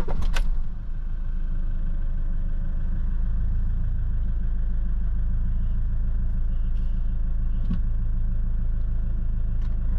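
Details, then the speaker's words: Iveco Daily diesel just after an engine oil, oil filter and diesel filter change, fuel system primed before starting; brief start-up burst then steady, even idle with a low rumble, no knocks or misses. "bine, se tureaza..."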